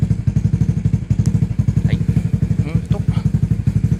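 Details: Honda Fusion single-cylinder scooter (reissue model) after parts replacement and oil change, just started first press: even steady putter with regular low pulses, no knocks or rattles; normal idle.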